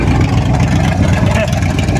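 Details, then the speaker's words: 1958 Chevy Apache idling after plug clean and gap: deep, loud blatting rumble with raw unmuffled exhaust pulses, because the Cherry Bomb muffler joining the exhaust sections is missing. "now if you're wondering why it's so loud uh there was a cherry bomb connecting"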